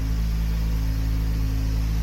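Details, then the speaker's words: Nissan Skyline GT-R engine at idle after repair: smooth, steady low idle with an even rumble, no stumble or skipped beats. Had a long-running idle stumble and misfire; compression and smoke tests, throttle-body gasket reseal, coil packs, injectors and fuel filter tried; cause traced to the spark plugs. "And as you can hear, it's fixed, finally fixed."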